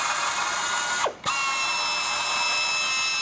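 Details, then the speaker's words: FlexArm tapping arm cutting 1/4-20 threads in plasma-cut holes; even high-pitched motor whine, brief drop moving to the next hole, then smooth again; normal operation. "we are going to tap quarter-twenty holes now in plasma cut holes so I'll run this here for it and as you can see"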